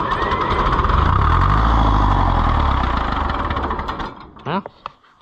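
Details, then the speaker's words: Oliver 1355 tractor (painted silver, believed a Heritage edition) just fitted with a new fuel pump. The original starter turns the engine over deep, slow and laboring at about four beats per second, then fades without catching: weak starter lacking the power to start it. "that original starter just doesn't have enough oomph to take it"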